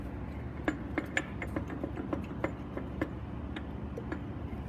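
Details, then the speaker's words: Mustang on a hoist: sharp irregular metallic clinks about two a second over low engine rumble; front harmonic balancer/damper has come loose and is falling apart, causing vibration. "the the little uh the little balancer in there has come loose the front dampers fall apart giving the motor a little bit of a vibration"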